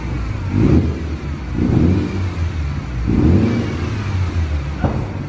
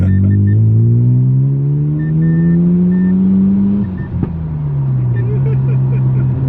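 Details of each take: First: Series 6 Mazda FD RX-7 rotary after backfiring fix, first start, run 5–10 minutes but still a little cold; three blips over 3,000 rpm rise and fall cleanly with no pops. Previously backfired when revved near 4,000 rpm. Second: Series 6 Mazda FD RX-7 project car, long unused, possibly old fuel, backfiring: under load the engine note climbs, then power cuts out in third gear before picking up again; boosts fine in first and second, owner suspects a boost leak.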